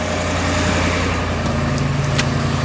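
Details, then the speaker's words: 2012 Ford F350, 6.2 L gas V8, after repair for knock sensor code P06B6: steady, even low idle rumble with no ticking or misfire; running smoothly, codes cleared. "truck is running beautifully so far no issues no noises anything weird like that"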